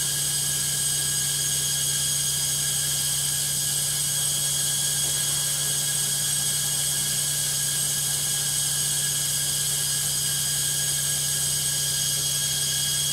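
A loud, steady high-pitched roar with a low hum under it during fast spin; the drum is noisy, cause unknown.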